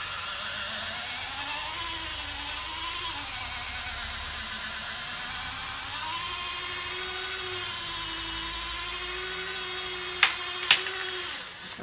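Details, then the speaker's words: Hornby model railway turntable after repair; thin, wavering motor whine, then two sharp bangs as contacts pass under the track, drive knocking and binding from jamming contacts. "ah you see you've got that noise again I don't like that did you hear it it sort of went bang bang as those went under it"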